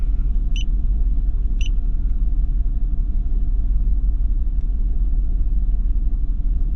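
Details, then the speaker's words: BMW E46 3 Series at idle, shaking with a lumpy stumble about three times a second and an uneven rumble. The scanner reads a cylinder 2 misfire, traced to a faulty ignition coil. "leggi codici ecco descritta misfire centra due molto semplice"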